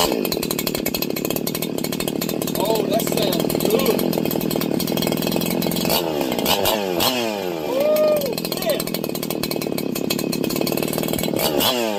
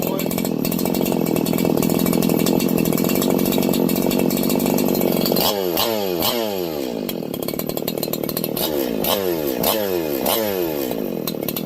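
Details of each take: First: Freshly ported two-stroke 4910/501p engine, intake opened up, first run: high, sharp revving that climbs and drops quickly, thin and screamy at the top; mixture lean, needs richer fuel setting. Lean running. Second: Freshly ported Husqvarna 4910/501p chainsaw on its first run after porting, with the exhaust opened and the low jet over two turns out: a steady high scream with clean, crisp throttle rises and falls, no bogging; it runs normally and is well fuelled.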